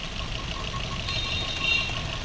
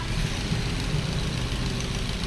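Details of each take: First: Maruti Swift BS6 with CNG fitted, idle after three ignition coils replaced to cure misfire: even, steady idle hum with no stumble or skipped beats; engine now quiet, normal idle. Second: Maruti Swift BS6 with CNG fitted, check-engine and ABS lights on, at idle before repair: uneven, lumpy, ragged idle, severe missing; misfire found from faulty ignition coils, two cylinders not working.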